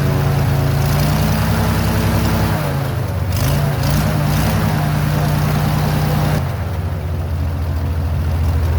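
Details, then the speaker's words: Airboat engine after carburetor base gasket fix, steady low even idle with a slight dip and recovery, no knocks or misses; some white smoke, owner suspects overfilled oil plus Marvel Mystery Oil. "So it seems to be smoking a little bit more than I would like. The carburetor mounting or base gasket definitely was the problem with idle before."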